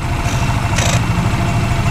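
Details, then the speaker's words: Yamaha Mio MXI 125 scooter after repairing an engine that had run dry of oil (was smoky and noisy): steady, even putter at idle, no knocks, no smoke. Normal idle. "bale dito na natin tatapusin to okay na yung makina yan wala maingay na rin yung uso"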